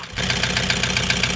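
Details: Toyota HiAce 2KD diesel, overhauled about 5 months earlier, knocking loudly; injectors 1–4 tested working, engine to be opened: sharp regular knock about seven or eight a second over rough idle; scored cylinder liner with piston slap.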